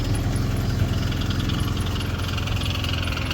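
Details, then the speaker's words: 1996 Alfa Romeo Spider starting after sitting a couple of months, jump-started; uneven idle right after start with light rapid ticking about three to four a second, not a good sound, cause unclear; abnormal noise at start-up. "hear that that's not a good sound but it started it started that's the main thing"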